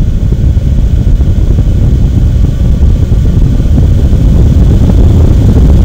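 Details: AMD Radeon HD 6950 2GB graphics card blower fan set to 100%, about 2400 rpm, mic one to two inches from the card exhaust: loud, even rushing blow with no ticking, rattling or whine; healthy.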